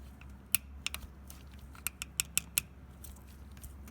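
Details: 2007 Chevy Tahoe 5.3 Vortec, passenger side, extracting a broken exhaust manifold bolt from the head: sharp dry chirps and squeaks in uneven bursts as the bolt turns; dry binding threads, fix is penetrating oil (Kroil).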